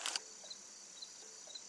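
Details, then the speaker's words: Jeep YJ turn signal system after fixing bulb ground: flasher relay ticks lightly and evenly about twice a second; flasher works but dash indicator light still not lighting, bulb suspected. "I mean I hear the flasher going but the light isn't light not so let's get a look at that light bulb and see what's wrong with it"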